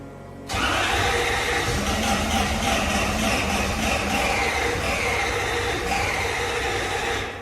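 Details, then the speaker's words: Toyota Soarer SC400 1UZ-FE V8 with new Blueprint distributor caps after most parts were replaced: steady cranking at about four turns a second for seven seconds, never fires; crank no-start, owner suspects the timing is out and plans to check spark. "Well, that answers that. The engine's coming out, it's getting stripped. So the only other thing that I can think of is it's got to be the timing's out."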